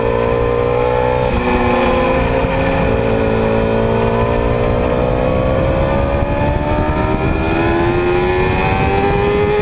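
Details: 2010 Yamaha R6 four-cylinder running on only three cylinders from bent valves in cylinder 4; uneven, lumpy exhaust note staying ragged as revs climb, a misfire from bent valves.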